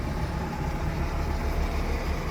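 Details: Four-cylinder 1984 car idling after new spark plugs and wires: low, even rumble with a steady beat and no misses or puffing; the earlier missing, puffing rough idle is gone and it idles smoothly.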